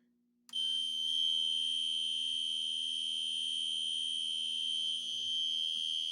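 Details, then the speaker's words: Fire-Lite MP-12 fire alarm panel driving classic horns, which register its full-wave rectified output as filtered DC: continuous shrill high mechanical-tone horn sounding unchanged instead of its usual pattern; wrong tone, cause uncertain. "that's not the way they should sound on fwr but it well it's the way the system sens are intended it obviously so it should sound that way because that's the initial that's the sound file for the mechanical tone"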